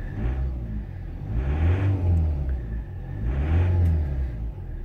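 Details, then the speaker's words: 2016 Ford Transit motorhome with a Euro 5 diesel, started after a PIN code disarmed a ghost immobiliser (ABS light flashed twice); fires and settles with two smooth rev rises, no misses: normal start and run. "and you see the ABS light flashed twice that indicates the vehicle is now D immobilized and as you can see the vehicle starts normally"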